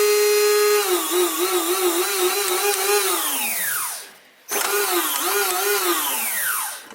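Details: Castle Creations XLX ESC after crash-shorted-leads repair, bench-tested on 3S pack with alligator clips, no heavy load: clean wavering brushless motor whine spins up, holds, winds down twice; motor and controller sound healthy.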